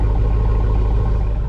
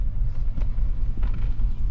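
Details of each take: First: 2500 Suburban V8 after about 5 minutes of running, idling near 800 rpm following alternator replacement, voltage now just over 14; steady, even rumble with no misfire or shaking: normal idle. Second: 2500 Suburban V8 idling low and rough with no codes at first; low, uneven rumble with irregular thuds and dips. Owner wonders about the alternator. A flashing check engine light follows: rough idle with misfire.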